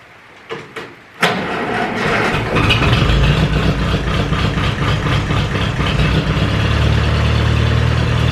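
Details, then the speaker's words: Ferguson 20 petrol/TVO tractor, sat 10–15 years, after carburetor cleaned (float free): catches after a few cranks and settles into steady even low idle, no knocks or misses. "it'll hold the water long enough to we can f it up and let the engine idle up a little bit longer"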